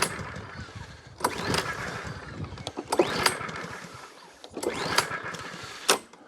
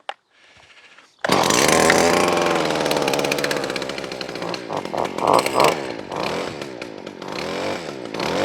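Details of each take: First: Mountfield HP42R roller mower with standard (non-primer) C100 engine, sat outside a while, new air filter: three quick pull-cord bursts, engine turns over but never catches; choke not engaging, possibly because the throttle cable is broken. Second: Stihl FS40 two-stroke strimmer found at the dump, started on choke with no strimmer head fitted: buzzy note rising and falling sharply with throttle, revs freely and runs cleanly.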